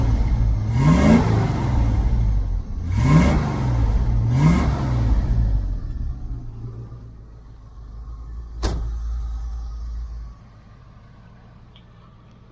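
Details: 1978 El Camino SS V8 after a DIY X-pipe dual exhaust install, just lowered off jack stands. Deep rumble with three quick throttle blips, then it settles to a lumpy idle. The exhaust is clean with no leaks: a normal note.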